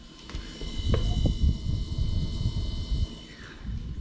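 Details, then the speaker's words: Refrigerator compressor in a fridge that is not cooling, with the condenser coils already cleaned; a low, uneven, empty hollow rumbling hum instead of a healthy compressor's cat-like purr, so the compressor is very likely bad. "You hear it sounds like almost like an empty, hollow sound. And what you want to hear from a healthy compressor is like a cat's purr."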